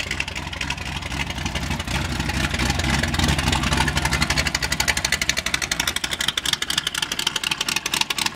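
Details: 1980 Chevrolet C10 V8 with a cam, filmed at startup and idle: uneven, loping cammed idle with busy mechanical chatter on top from the gear-drive timing set.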